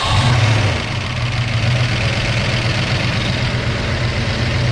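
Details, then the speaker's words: Fresh cam swap (Anderson B21 cam), first start: rough lumpy idle with fast light ticking across the top end; lifters not yet pumped up, expected to quieten; lifter tick before lifters pump up. "All right, guys. Lifters have to pump up. That's the noise that you're hearing. Should quieten down here in just a minute. Go ahead and let it run. That's the lifter. I'm positive."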